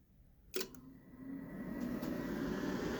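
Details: EG4 6500EX-48 inverter at first power-on during setup: one switch click, then a soft whir rising to a steady fan hum with no repeated relay clicking, which would signal an inverter fault; normal power-up with fan start.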